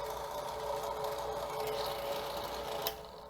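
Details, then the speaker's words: Drill press motor switched on. It gives a steady electrical hum with no run-up, then fades off; it runs only if twisted by hand. Failed start capacitor in the housing on the back of the motor. "I have a drill press here, and when you turn it on, it just hums. But something curious happens if you give it a little twist, then it'll continue to"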